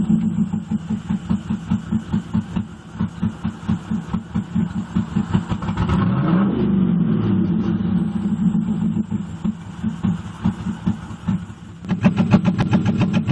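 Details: 1998 Pontiac Firebird Trans Am WS7 V8 with new NGK plugs, new plug wires, a working de-screened MAF and cat temps checked fine: cranks and catches, then idles with an uneven, stumbling, surging pulse; still misfiring.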